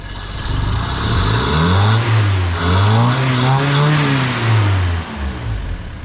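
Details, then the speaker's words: 60-year-old vintage Toyota JDM rear-wheel-drive car after carburetor rebuild and reassembly: engine climbs smoothly through a couple of revs, then drops back to a steady, even idle; idling nicely, running much better. "cool returns to idle idle is pretty good we've got her completely back together she sounds like she's idling real nice seems like she's running a lot better"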